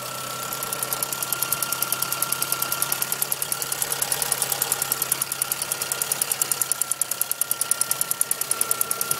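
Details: 1997 Suzuki Swift 1.3L at idle: a sharp, even mechanical ticking at about 200 per minute from the top end over a steady idle; cause not confirmed.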